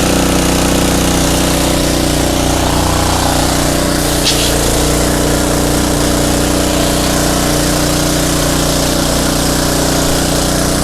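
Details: Craftsman pressure washer with 5.5 hp Briggs & Stratton Intek 190, previously non-running, after carb cleaning: steady, even drone with a light buzzy hum and no misses or surging; runs cleanly now.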